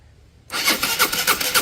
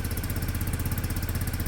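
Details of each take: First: Peugeot Satelis scooter, sat about two years, cranking but not starting: even starter pulses about four a second and it never catches. The spark plug is lying loose, not fitted, and a red lock/immobilizer light stays on. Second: Peugeot Satelis scooter, small single cylinder, first cold start with automatic choke: quick even pulsing idle, no knocks or misses; won't rev yet on choke, running cleanly.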